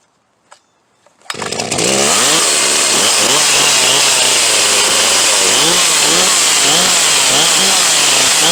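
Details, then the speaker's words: Huztl G366 (Stihl MS361 clone) chainsaw, hot after running, keeps leaning itself out and dies coming out of the cut, won't idle well: revs hunt up and down about twice a second, screaming high and thin; lean running from plugged fuel tank vent. "ently it's starting to get a little finicky now and then she'll die coming out of the cut and really wanna idle real well unless I've got an idle and quite hot she keep leaning herself out got an issue with the fuel vent clearly an error issue"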